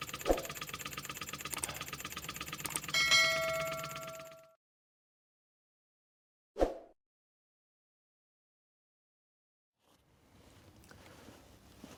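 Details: Wig Wag oscillating wobbler engine, after the cylinder, pivot pin, axle and crank disc were fixed: quick, light chuffing and ticking for a few seconds, then a clean stop; it turns over freely and sounds healthy.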